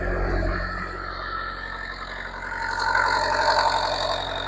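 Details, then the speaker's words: Bobcat 334 excavator diesel idling just after an oil change with a new filter and about 8 quarts of oil: even low rumble with a slight lift midway, no knocks or rattles, no leak, sounds good; normal diesel idle. "Sounds good. No leak. Just let it run for a second here."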